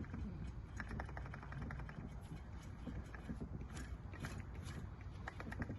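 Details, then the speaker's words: A/C compressor removed from a supercharged Mercedes SL55 AMG and turned slowly by hand: quiet gritty clicking and scraping, matching the noise it made in service. Drained, it held literally no oil, suspected as why it broke. "sounds like the noise it was making do we have to tear it apart no i just want to see how much oil is in it"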